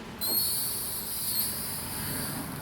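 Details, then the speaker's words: 2004–2008 Acura TSX front driver-side rotor turned by hand with the wheel off, before pad and rotor replacement. A thin, steady, high-pitched squeal comes from the front brake, cause unclear. "If I just turn the rotor with my hand, you can actually hear the squeak."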